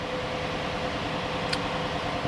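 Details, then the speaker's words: 2015 Chevy Silverado 1500 5.3L V8, first start of a used replacement engine (truck 53,000 miles) after the original lost oil pressure (suspected oil pump or solenoid failure). Oil primed, no codes, oil pressure just over 40; smooth, even idle with steady fan hiss, no knocks or ticks. "let's go ahead and start it she runs we got oil pressure showing over a little bit over 40."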